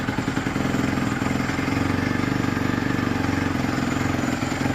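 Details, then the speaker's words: 2017 Honda CRF250R after sitting in storage, long unridden, with chain fitted and air filter back on: single-cylinder thump starts cleanly and settles into a steady, even idle with no misses, knocks or rattles. "That's a good start. Hasn't been ridden in ages, so All right."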